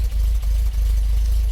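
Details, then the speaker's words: MGB GT not running well, a little choke on, black exhaust: a low idle with stumbling dips before it steadies; uneven firing, owner suspects a rich mixture and plans to check the valve gaps first. "there's a tiny bit of choke on this but I think that you hear the noise there and how it's not human but also look at that"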